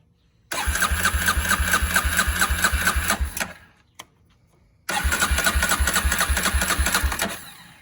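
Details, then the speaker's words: Barn-find Polaris Predator quad, first start after sitting, on a jump box after an earlier attempt tripped a box: catches straight away into a steady, even idle thump, cuts out, then fires again cleanly; sounds clean and healthy. "Come on, old girl. What? You heard it yourself. That thing sounds clean. All right. We got a runner."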